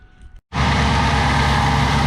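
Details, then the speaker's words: 2003 Mercury Mountaineer at startup: a loud, steady high squeal over the engine from the accessory belt drive, traced with a stethoscope to a loose, worn idler pulley. "right so there it is pretty [Music] loud all right so what I end up doing was running the engine I used a stethoscope and I narrowed it down to uh this iser pulley right here"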